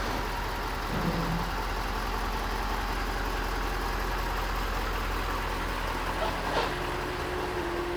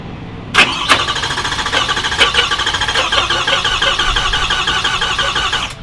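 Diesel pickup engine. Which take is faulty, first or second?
second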